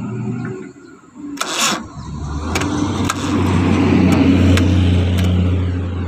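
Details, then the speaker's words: Suzuki Carry cranking slowly and heavily without catching despite a good battery and a freshly serviced starter motor; the suspected cause is the engine ground cable under the engine, rusty and high-resistance. "Sekarang kita akan ngecek ya mobil Suzuki Carry staternya berat padahal aki bagus dinamo starter sudah kita servis ya Masih berat starternya seperti ini ya"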